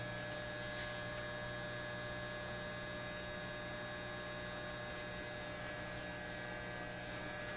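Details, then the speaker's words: Repaired Lambda power supply on a BK Precision 8540 electronic load, 20 amps at 5 volts, 100 watts, drawing 13.82 amps from the wall: constant 60 Hz transformer buzz, no pulsing or crackle, louder with current; owner suspects rust between the laminates. "that's why what you're hearing is 60 Hertz buzz and the more current we put in the more we excite the Transformers and the louder they buzz"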